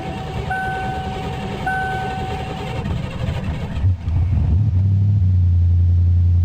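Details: Ford Crown Victoria pulled from the weeds, fresh battery, no exhaust fitted: two chimes, brief crank, V8 catches and settles into a loud, raw, steady idle.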